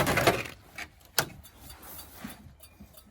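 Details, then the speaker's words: Triumph TR7 under restoration, electrics being checked before first start: faint dry hazard flasher relay clicks about twice a second, but no lamps light. "hazards okay well I can hear it clicking but the lights aren't going"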